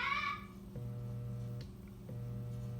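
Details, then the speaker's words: c.1915 GE Star oscillating fan motor on the bench, run through switch and choke coil on a test lead: two power-ups give a steady low hum with no spin-up, won't start; usually indicates worn bearings, to be replaced. "so i got it hooked up to a test lead here i'm going to plug it in and you hear it just hums it won't start"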